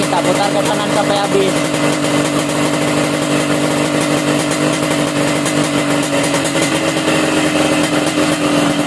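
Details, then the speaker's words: Warm standard motorcycle with the carburetor air screw turned fully closed: loud idle with a choked, stuttering, uneven exhaust beat; stumbling idle from off mixture before lean/rich adjustment. "kalau udah habis kayak gini teman-teman bisa dengar ya suara knalpotnya Seperti apa agak tersendat gitu ya"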